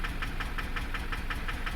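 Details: Chevrolet LB7 Duramax diesel, 320,000 miles, idling: sharp even ticking knock about five or six times a second; possible bad injector suspected, not confirmed.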